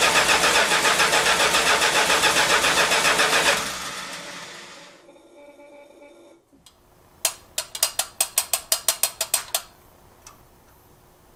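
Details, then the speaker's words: Dry carburetor on a 1971 Chrysler New Yorker with newly replaced tank, sender, fuel pump and AVS carburetor, first start after five months stored: even starter cranking about 3.5 turns per second, never firing, fuel bowl empty. "oh no she dries a bone okay i must fill up the fuel bowl"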